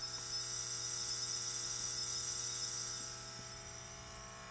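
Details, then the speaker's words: Zenith 24MC32 colour roundie tube TV chassis under repair on a jig: loud, piercing high-pitched squeal with internal arcing from a weak, now much weaker, failing horizontal output tube. "yeah that horizontal output tube was weak and now it's really much weaker listen to it squeal it's singing It's a singing horizontal output tube"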